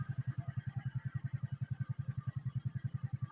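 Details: Suzuki Smash motorcycle after fitting a regulator/rectifier: a steady, even, low-pitched thump at about seven beats a second with no misses, revving and running normally.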